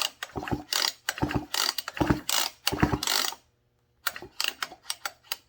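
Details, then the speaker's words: Husqvarna 55 chainsaw recoil starter being pulled repeatedly after spraying lubricant on the stiff starter pawls: dry ratcheting clicks in uneven bursts; slightly better now, starter may still need a rewind; cylinder looks scratched. "It's a little better. The paws was a little bit stiff."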